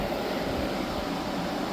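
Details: Hyundai small portable air conditioner after leak repair and recharge (had gone warm after two weeks): steady fan air over low compressor hum, no rattles or cycling; running normally and cooling, just loud.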